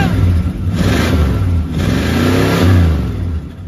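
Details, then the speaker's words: 1968 Dodge Charger V8, garage find parked since 1994, first revs: a gentle blip lifts the pitch smoothly and falls back evenly with no misses or knocks. It starts fast and runs healthy, though it smokes. "oh that was fast that's a good sign dude that's way less rap poop than i expected too all right she's a smoker"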